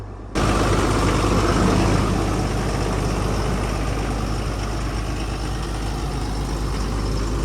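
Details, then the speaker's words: Snap-On truck in cold, frosty weather the day after its batteries were trickle-charged overnight: it starts instantly and settles into a steady, even low idle with no misses or knocks. "hey great news I just let her idle for a bit huh yeah great news man I know I was just picking up straps and I was like oh man it's running"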